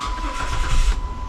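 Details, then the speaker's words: 2006 Chrysler 300 3.5, 120,000 miles, after no-crank no-start repair: quick starter crank catches and settles into a low engine note — cranks and starts normally. "Come on. Really? It's cranking though, so that's a plus, right?"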